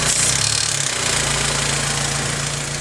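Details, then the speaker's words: Honda S2000 engine running with a busy metallic rattle and fast ticking, about three or four per second, over the idle; owner suspects the TCT or valvetrain but is unsure; engine rattle, source unclear. "it sounds to me kind of like maybe the tct i don't know could be the valvetrain i don't know you can really hear it"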